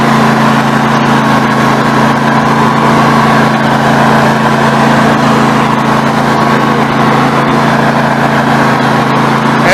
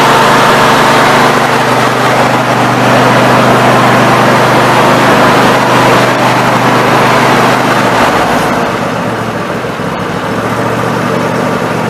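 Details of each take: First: Snapper NXT 25-48 riding mower engine after carburetor replacement, warming up: steady mid-speed run with a fairly even beat but a faint stumble now and then; occasional misfire, cause not pinned down. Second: Snapper NXT 25-48 riding mower engine after carburetor replacement, test-run with the cooling cover off: steady, even running with a firm low thrum, no surging or misfires, holding speed smoothly; normal running.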